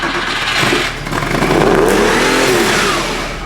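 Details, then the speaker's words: Porsche 911 engine started after being pulled and refitted: revs flare straight to a loud sustained maximum and hang instead of idling because the throttle isn't closing fully; holding it closed makes it sound good, throttle cable suspected. "revving to the max. >> Yeah. >> Why would that be? Yeah. The throttle isn't even closed fully."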